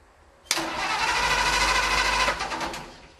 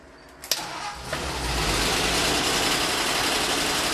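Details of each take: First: 1948 Ford F-5 truck, cold start after sitting unrun for over a year: steady cranking at about three turns a second dies away without firing; the owner suspects the fuel pump isn't pumping, and dead wires were later found. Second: 1948 Ford F-5 truck, cold start after sitting unrun for over a year, on choke with the throttle pumped by hand: brief cranking, then it catches and settles into a steady, even idle with no knocks or misses; a good start.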